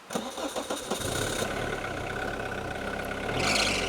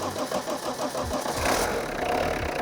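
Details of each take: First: Abandoned 30-year-old Peugeot 106 on a road trip, cut out after about 10 seconds of driving: starter churns in quick bursts before the engine catches and settles into an uneven idle; stall and restart. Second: 30-year-old abandoned Peugeot 106 diesel, run with fuel drawn up to the pump, pickup out of the tank: starter churns briefly, then it catches and settles into a steady clattering idle.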